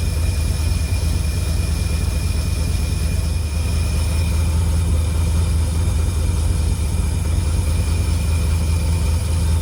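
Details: 1952 Cadillac Series 62 barn find V8, revived after sitting for decades, idling after the generator was oiled and the leak fixed: a deep, even V8 rumble with only a faint high whir left. It idles smoothly. Normal idle.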